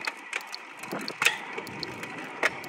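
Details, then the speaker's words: Road bike running a SRAM AXS 12-speed 10-33 cassette with Shimano 12-speed Di2 and 52/36 crank, shifting across gears while riding: light ratchet clicking, occasional chain clatter, no grinding or skipping; freehub and shifting normal, smooth and quiet. "it works very smoothly it's dead quiet right now the gears work very nice"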